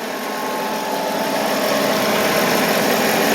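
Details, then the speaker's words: 1993 Mercedes 500E barn find idling on a battery charger, with a dead throttle body and an electrical smell: faint steady whirr over the idle from the alternator side; owner suspects the alternator or a seized pulley bearing, not confirmed. "Either like I said, it could either be a pulley being stuck like a bearing, or it could be the alternator blew up."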